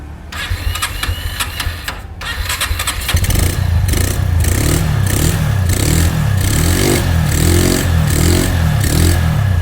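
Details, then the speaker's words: 2008 Honda Mega Pro motorcycle, all-original parts, started cold with no warm-up: starter whirs briefly, engine catches cleanly on the first try and settles into a steady, even idle. "Ini double jreng ya Bang. Tapi nggak kupanasin, semoga aja hidup."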